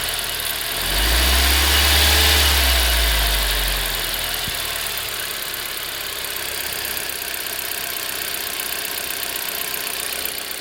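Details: Engine (EN07) noise that started suddenly: short rev settling into even idle with fine, fast, light ticking keeping pace with the engine; found to be injector noise, injector later replaced.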